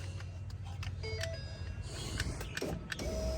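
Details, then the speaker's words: 2019 Ford F-150 auction rebuild with 111,000 miles, window actuator wired in with battery hooked up and key on: steady low window motor drone, briefly sticks partway, then runs freely all the way up; normal operation. "there we go just a little stuck beautiful Windows all the way up"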